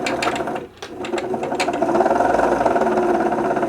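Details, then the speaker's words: 1974 Singer Genie 354 / Starlet 353 sewing machine after service, winding a bobbin with a rough chattering whirr from the worn bobbin winder rubber tyre, which should be replaced. "yeah the bobbin winder rubber you can hear it's quite noisy i probably should have replaced that while i was in there"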